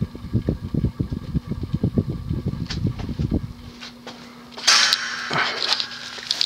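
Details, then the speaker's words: 1988 Hunter Embassy 42-inch ceiling fan, model 25644, 172x12mm motor, running on medium speed; uneven low thumps several times a second over a faint motor hum: worn fan bearings, loud and clunky but not stiff. "man those bearings are loud they're not stiff they're just loud and clunky they're clearly well worn"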